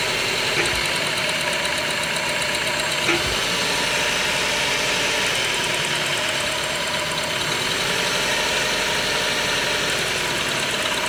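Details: Toyota Passo small petrol engine idling unevenly, beat stumbling from a misfiring cylinder; rough idle and poor performance caused by a faulty ignition coil, diagnosed and fixed.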